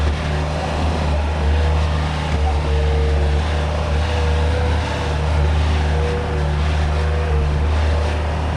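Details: Bobcat 873 diesel after the debris-filled fuel tank was cleaned out, still on the old filter, which had been stalling. It now holds a steady, deep, even drone with no surging or dying out and runs normally.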